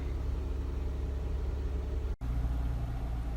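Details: 2012 Jeep JK Wrangler just started after replacing the faulty bank 2 sensor 1 O2 sensor (code P0152): low, smooth, even idle with no misses, ticks or knocks, and no engine light.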